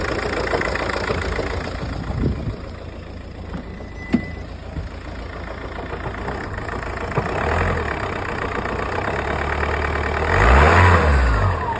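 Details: Audi A3 8P S-line 2.0 TDI diesel idling with a rough knocking rattle about four times a second that swells when blipped: noisy dual mass flywheel symptoms.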